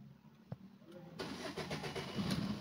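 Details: Maruti Suzuki Swift Dzire engine after rebuild for oil consumption and smoke, fresh oil, morning start: brief crank, clean catch, smooth even idle with no knocks or ticks, no smoke; one warning light still on.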